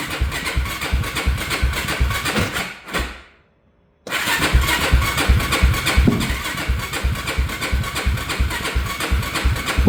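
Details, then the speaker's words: Yamaha YFZ450 that shut off and lost spark, tank off, choke used, has spark and fuel: labored cranking in uneven bursts that never catches; owner suspects the battery is dying. "This battery sounds like it's about to die."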